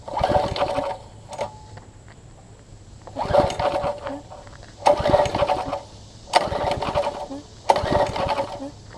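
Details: Troy-Bilt Tuffy rear-tine tiller with new, possibly ill-fitting carburetor diaphragm, exhaust and intake tube refitted: repeated pulls catch in short sputtering bursts that die within a second. Fuel starvation, suspected from the misfitted diaphragm.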